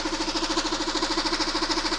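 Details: Engine idling after the bolt propping the timing drive is backed out: a fast, even metallic rattle about twelve beats a second returns over the idle; timing drive rattle from the lost support.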